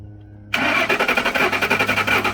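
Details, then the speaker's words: 2003/2004 Ford Expedition 5.4L, crank no start, starting fluid sprayed into intake: even starter chugging with brief firing that does not hold; owner suspects fuel pump or fuel pump relay, possibly central junction box. "okay so as you saw it it tried to crank up just there but what that means is that it's gonna be my fuel pump or my fuel pump relay"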